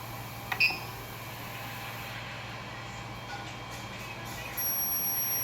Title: coil whine sound on PSU